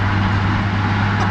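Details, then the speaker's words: Chevy C10 with 250 six-cylinder and 3-speed manual on the floor, driven: steady, even low drone under light load, no knocks or misses; truck ran great. "Okay, guys, the truck ran great."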